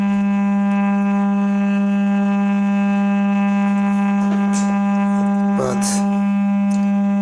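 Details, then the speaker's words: Large woofer with discolored, possibly moldy cone, driven with a 200 Hz test tone: steady tone turns harsh and raspy, square-wave-like, changing as the cone is nudged; voice coil scraping on the magnet, fine at 300 Hz. "if I change frequency to 200 Hertz so just a minute you can see or here that does not sound right at all"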